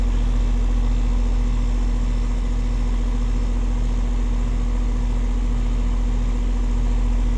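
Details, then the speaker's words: AC condenser unit after replacing failed capacitor and cleaning coils, test run at about 59°F: smooth, constant low hum, steady tone, no clicking or rattle; running evenly. "So, we got the capacitor replaced. We got the coils cleaned out."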